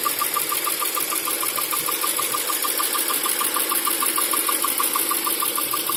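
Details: Toyota 4A-GE 16v Black/Red Top: light regular tick about 190 a minute over idle, appearing when hot or after medium/high-speed driving, with jerking and rpm limited to 3000-4000; new TPS, distributor, plugs, fuel pump fitted, no ECU codes; cause unknown.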